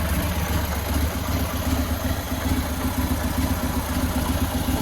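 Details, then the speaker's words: 2000 Buell Cyclone M2 V-twin idling after a lifter replacement: a lumpy, loping idle that holds steady with a light breather hiss and no ticking or knocking. It is much quieter than before, with little exhaust smoke, and the carburetor needs no further work. "She runs. Not too much smoke coming out of the exhaust. That's a good sign. I guess I don't have to do any more carburetor work. It's idle nice. A lot quieter than it was."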